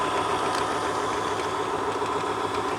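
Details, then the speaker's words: 1962 Sony TC-521 reel-to-reel after motor lubrication and control cleaning, drawing about 80 watts: steady motor hum with rubbing whir and light ticking three to four times a second in forward, quieter in reverse; owner suspects lubrication needed. "let's try reverse that's not so noisy so maybe this is just need some location on that side"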